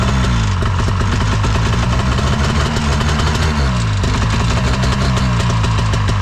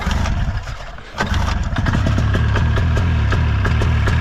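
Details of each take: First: Ski-Doo 377 two-stroke snowmobile, unused for years, running on old fuel: lumpy uneven idle, beat wandering instead of settling; owner suspects the carb needs a clean; loose motor mount also found. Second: Ski-Doo 377 two-stroke snowmobile, unused for years on old fuel: after a second of cranking it catches and settles into an even burble with both cylinders firing; normal two-stroke idle on both cylinders.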